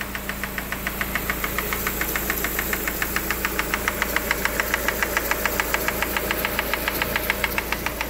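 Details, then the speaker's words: Lada Granta, cold idle, timing belt already replaced and hydraulic lifters suspected: sharp, even ticking about 140 a minute from the top of the engine; loose camshaft position sensor striking the timing gear. "Ну вот он стук а стук друзья сейчас вам покажу откуда идёт вот здесь вот стоит датчик положения распредвала и вот вот он друзья и стучит об шестерню"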